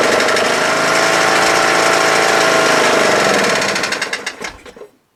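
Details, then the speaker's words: Troy-Bilt Super Bronco/Pony lawn tractor (17.5/20HP Briggs Intek single, 42" deck): runs steady rapid chug at high throttle, then sags, stumbles with uneven pops and stalls when throttled down; owner thinks it needs warming up; flooding carb, stuck needle; carburetor later replaced. "so the minute I take it from high throttle or choke to high throttle and then when I lower it it wants a stall so needs to warm up a little bit I think"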